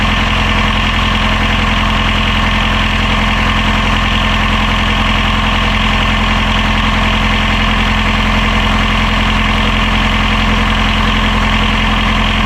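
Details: Healthy diesel genset idling on catamaran Marram, bench-tested and reinstalled in its locker, restarted during lithium battery bank commissioning after checking for reverse voltage; steady, even thrum with a smooth regular firing beat, no knocks or misses.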